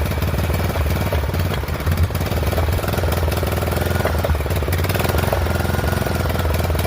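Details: Poulan 12538 XT riding mower, 12.5 hp single-cylinder, 38-inch deck, hard starting, hot: ragged uneven thumping with loose clatter on top; owner suspects intake and exhaust valves not set right, plans to readjust when cool; rough running.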